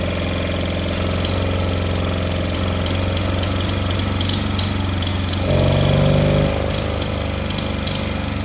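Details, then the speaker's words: Kohler 18 twin on a Cub Cadet Cyclops, cold start with 10W40 oil, a smoking motor; loud, harsh, uneven ticking. Not firing both cylinders; muffler, coil or plug were suspected before it was found to be a blown head gasket. "All it is a blown head gasket."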